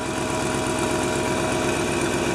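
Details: 1997 GMC Suburban at about minus 6 degrees, after fuel filter replacement, checking for leaks: even, smooth idle with a steady low rumble, no misses or ticks; normal idle, no massive leaks seen.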